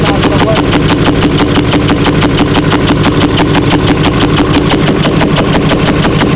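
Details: 6.4L Powerstroke diesel, 165,000 miles, about 50k miles after an aftermarket engine build, running with capped blowby: loud steady clatter about three hits a second over rough roar; low oil pressure, wiped lifter rollers and cam.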